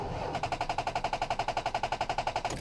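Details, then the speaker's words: 2005 Ford Ranger with a dead battery from sitting unused: rapid machine-gun clicking, about ten a second, from the starter solenoid with no crank. It needs a jump start, not a new starter. "now this is what sounds like when you have a dead battery you get like a clicking noise"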